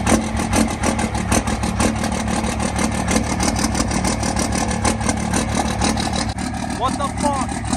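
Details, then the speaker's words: Diesel truck from Florida, possibly without a grid heater, just started in cold weather: an uneven, stumbling beat with hesitant revs; rough cold idle, clearly not running happily, cause not confirmed. "okay so it started but uh it doesn't like it it started but it does not it's not having a fun a fun day of running it's not happy"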